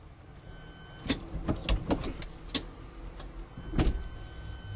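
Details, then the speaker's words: Faint steady high whine from the Curtis controller under a few clunks while creeping in reverse at low speed in a 1971 Volkswagen Squareback electric conversion, no clutch; normal low-speed controller whine. "You hear the Curtis controller whining a little bit at low speeds."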